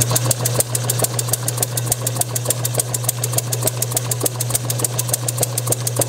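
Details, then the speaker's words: Bessemer model engine motor-driven on a test bench, timing just before top dead centre. Sharp regular pops about three a second over a motor hum, firing nearly every stroke but won't run alone. Owner suspects too little air-fuel mixture or compression leakage. "yeah this is this is just a hair before just a little bit before top dead center like it's hitting just about every stroke"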